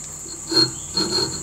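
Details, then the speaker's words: D-bit (Deckel clone) grinder sharpening a 4-flute carbide end mill, work head tilted 12 degrees; over steady motor whine, brief light hissing as the end mill just touches the wheel face due to wheel runout, setting the starting position. "so you can just hear that now so I'm just going to back that off a fraction so it's going to be our starting position"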